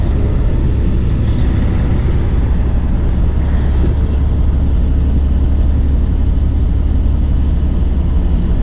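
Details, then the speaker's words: Cummins diesel truck after installing a CM2250 short block fuel pump with new tappets, plungers and barrels: deep, steady rumble at idle with no knocks, misses or surging, no check engine light; runs clean and healthy. "But everything turned out good. I just want to let you guys listen to it run."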